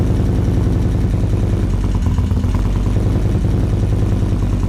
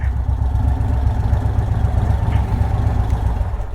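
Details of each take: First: 2024 Indian Roadmaster with ThunderStroke 116, first start after installing Lloydz 585 cams and before the flash: loud cold V-twin idle with a light, fast valve train clatter. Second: The bike sounds good, it rides good, it's healthy.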